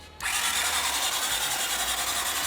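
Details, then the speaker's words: 1981 Honda CX500 motorcycle, unused for years: the starter spins the engine briskly with an even, quick pulsing whirr and no grinding or clicking; plenty of compression, normal healthy cranking. "It's actually turning over really fast. Yeah, it sounds good. Like Yeah, the it sounds starter really sounds good. great."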